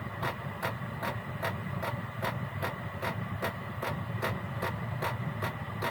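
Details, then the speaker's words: Gearlasso 8kW 12/24V Chinese diesel heater on program 01, about 18 minutes running, burner chamber 72°, 13.2 V. It is warming up: crisp pump ticks a little over one per second over a soft fan hum. Normal warm-up run. "Here it's speeding up a little bit now. It's just warming itself up."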